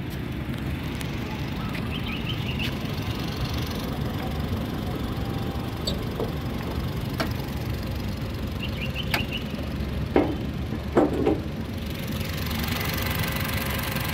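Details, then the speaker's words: 2015 Honda Brio Satia E manual, 1200 cc petrol, 81,279 km, clean engine; a low, even hum with a steady beat and no knocking or misses; described as smooth; normal idle. "kondisi mesinnya masih bersih, kemudian suaranya ya halus pemirsa. Mobil ini sangat irit karena 1200 cc ya."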